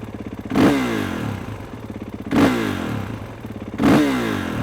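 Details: Warmed-up Kawasaki KX450 with a Rekluse Radius CX auto clutch and free play gain set correctly: three quick throttle blips rise and settle cleanly back to a steady idle, with crisp response and no clutch drag.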